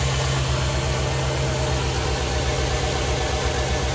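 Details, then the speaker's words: 2013 Chevrolet Silverado 2500 HD, 6.0 gas V8, idling about 15–20 seconds after start-up following spark plug, plug wire and heat shield replacement: steady, even low rumble with no knocks or misses; normal, healthy idle. "let run for a bit see how it do"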